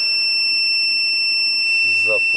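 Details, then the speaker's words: UKC 2500 W inverter after reverse-polarity supply, powered from a bench supply: steady high-pitched beep right at power-up then cuts out; inverter beeps at start. "але чомусь пищить. Так. Ага. Все. Тобто це був заряд конденсаторів ее 14 В."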